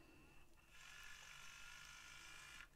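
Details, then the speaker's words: Used Sony MZ-R70 MiniDisc player/recorder, disc loaded: rough, hissy whir rises and holds about two seconds as the disc spins up to fill the buffer, louder than it should be and rough while playing; cause unclear. "oh sounds a bit loud can you hear that ah so in this one this when i press play it's now playing the track but it's not spinning the disc so it must spin the disc and take some into the buffer"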